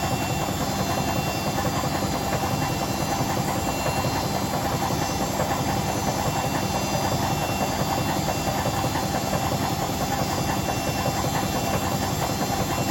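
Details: Hotpoint BHWMXL145 washer on a test spin. A loud, rough roar with heavy banging about ninety times a minute as the drum thrashes. Two drum spider arms are snapped, the drum is cracked at the back, and the bearings are not the cause.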